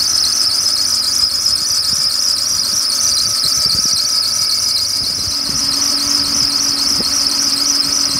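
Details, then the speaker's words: BMW 728i E38 at idle: shrill steady squeal over the engine; several shops and BMW blamed the drive belt, and the belt, tensioner and idler pulley were to be replaced. "Also, ihr hört das bestimmt schon, der quietscht. Und woran liegt das? Ich war bei 3-4 Werkstätten gewesen und auch bei BMW. Und die haben mir gesagt, dass es wohl am Keilriemen liegt."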